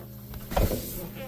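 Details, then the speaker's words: 1982 Porsche 924 Turbo, fuel pump relay pulled and pins 30 and 87 jumped; a steady low electric hum with a brief rattle as the fuel pump runs normally, checked while diagnosing fuel delivery issues. "all right between uh pins 30 and 87 you can hear the pump"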